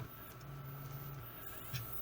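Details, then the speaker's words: Nintendo GameCube after repair of a disc that wouldn't spin (broken lid sensor finger jumped by soldering), powered with case top off: soft low whir with faint steady whine, no clicking or grinding; disc drive spins normally, good as new. "All right, good as new."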